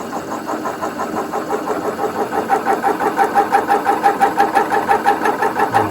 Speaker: When this is cutting to depth, you know, because the whole thing will start squeaking. So we know we've got the diameter right.